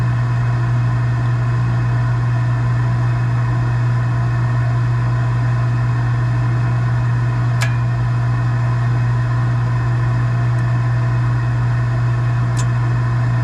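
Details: Gas package unit, newly replaced draft inducer motor (old one was extremely loud, like a lawnmower), new hot surface igniter, cleaned burners: smooth steady low hum, no rattle, grinding or wobble; inducer runs quietly and evenly, normal.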